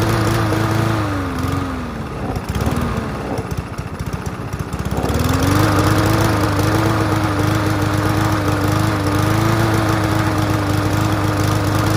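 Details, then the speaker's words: Free push mower after carb cleaning: runs, then sags and stumbles before picking back up; intermittent spark because the spark plug lead was loose and barely contacting, fixed by pushing it back on. "so looking at the spark plug since we never had to check it it's like this is barely making any contact if it is so let's shove that back on there and fire it up again"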